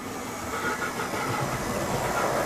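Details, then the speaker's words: Brand-new EFE/Kernow Southern Railway CC1 Booster model loco, running in the other direction: a steady hiss and rough whirr with a faint rumbling flutter. A strange running noise, cause not yet found. "So we're just running in the other way and a strange noise has occurred."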